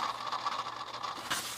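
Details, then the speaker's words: 2004 Infiniti G35X 3.5L: steady dry scraping hiss with a thin whirring tone, resembling a failing water pump, traced to a worn fan (idler) pulley bearing on the accessory belt; replacing the pulley is the fix. "this pulley here it's called a Fen pulley although there's no fan on it it's called a Fen pulley so it makes this noise you hear the noise it will sound like a water pump"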